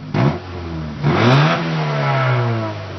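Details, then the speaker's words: Honda with about 70,000 miles and slight lifter knock, on stock manifold and stock muffler before custom manifold and catback: two smooth rev blips with a soft, muted exhaust note and no knocks or rattles; normal quiet stock exhaust. "see here it has no sound at all right now just typical Honda double [ __ ] Barrel"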